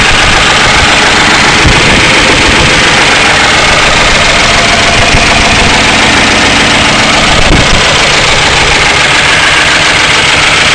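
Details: 1992 Crown Victoria 4.6L: loud rough idle with busy clatter over low drone, no clear steady knock; owner suspects low oil pressure and plans oil pump replacement; engine noise at idle, cause unconfirmed.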